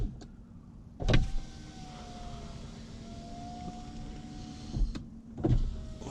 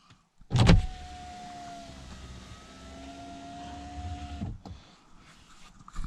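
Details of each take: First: Saab 9-5 power window after overnight silicone lubrication of channels: even motor hum each travel with a few soft ticks as glass unseals; ticking normal, present since new; window runs smoothly. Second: Saab 9-5 power window before lubrication: motor whines about four seconds, pitch sagging mid-travel as it labours; glass binding in its run channel.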